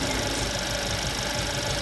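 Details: Mercedes-Benz C180 CGI W205 engine idling: a thin, steady high-pitched electrical whine from the front of the engine. It comes from the alternator's failed rectifier diodes, with low charging.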